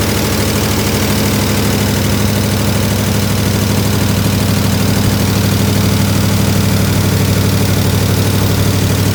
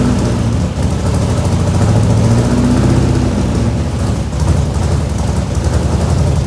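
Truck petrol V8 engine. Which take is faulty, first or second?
second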